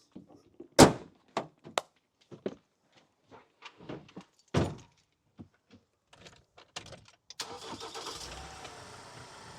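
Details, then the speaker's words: Ford Transit Custom diesel after a head gasket repair (blown between cylinders 2 and 3), head skim and valve work, with compression retested good: a few knocks and clicks, then a prompt start into an even run; the hard starting is fixed. "with the right compression the starting um issue has been sorted."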